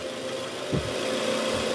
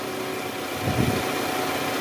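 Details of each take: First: 2010 Toyota Camry 2AZ-FE at cold start idle, heard from the side: rough, gravelly rattle from the oil pan area, fading as the engine warms; worn, loose balancer shaft, confirmed by stethoscope and on removal. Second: 2010 Toyota Camry, 2AZ-FE engine, cold after about two hours off, idling high in drive just after replacing a worn balancer shaft that caused a rough grinding noise on cold start; now smooth, even idle, one brief soft thump from the brakes.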